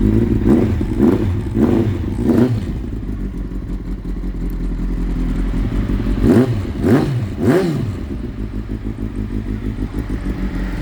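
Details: Kawasaki ZX-9R, clicking noise gone now that fuel is flowing again: quick throttle blips rise and fall cleanly from a steady idle with no ticking between revs, sounding healthy.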